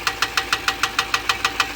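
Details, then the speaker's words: Ram 6.4L V8 idling with sharp, even ticking about 6.5 per second; the tick was traced by ear to one side and to a failed lifter. "I think it's coming from this side do it again I can feel it in this lifter go goes down and it's going to pop go pop right there all right we found it it is this one"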